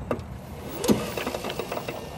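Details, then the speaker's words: 2015 Yamaha G29 golf cart: a light solenoid click, then a dull drivetrain thud when backing off the throttle; the fix is replacing the input shaft bumper, which is possible without removing the motor. "that clunking yeah very simple fix let's crack one get into it now to repair the clunking it's an input shaft bumper is what we're going to replace here"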